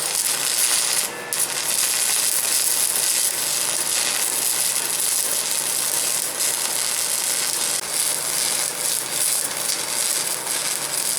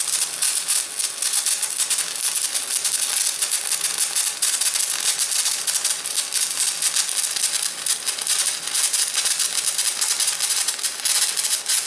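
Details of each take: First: Large 300-pound shop stick welder, compared with a VEVOR MMA 200: even steady crackle and fizz with no pops or sputter, a smooth healthy stick-welding arc. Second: VEVOR MMA 200 DC stick welder; steady crackling frying hiss with irregular sharp pops, a spitting arc with stinger on negative polarity; smoother with stinger on positive.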